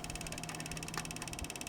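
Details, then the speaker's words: Used PC on first boot after a new CPU was fitted into a motherboard with slightly bent socket pins: rapid, even ticking about sixteen per second as a fan blade strikes an obstruction inside the dusty case. The PC still boots fine. "no shot this Boots the heck it's hitting something"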